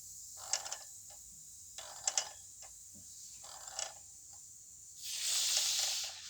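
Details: Yamaha T-Max 500 second generation, front wheel spun by hand: dry high scraping ticks in bursts from a worn speedometer drive; whine above 40 km/h, wheel bearings found fine, no play.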